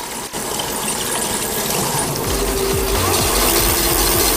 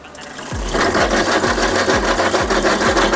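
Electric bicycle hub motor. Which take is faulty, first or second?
second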